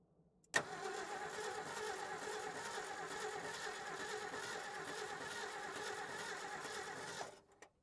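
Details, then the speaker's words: 1968 Ford F350 with 360 V8, unstarted since about 2007–08, fuel dribbled into the carburetor: catches and runs ragged and uneven for a few seconds, then cuts out; owner says one cylinder; spark later appears absent, points not opening. Rough running misfire. "okay sounds like she's got one cylinder it's a little ly oh gases great"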